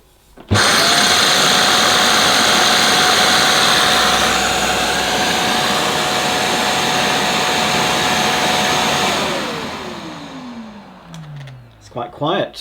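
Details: Shark CV100UKT cylinder vacuum with an air-powered turbo nozzle (vanes driven by airflow) fitted: a steady, even rush of air with a constant mid-pitched tone that winds down smoothly at switch-off. The turbo nozzle runs normally and fairly quietly.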